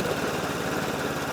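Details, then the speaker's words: Hayter Ranger 53 mower, started with choke: holds a steady low idle buzz and never climbs in pitch; throttle does nothing and it won't reach full revs, needing carburetor work. "that's as high as it revs so that that's not quite right so you have the throttle is doing nothing"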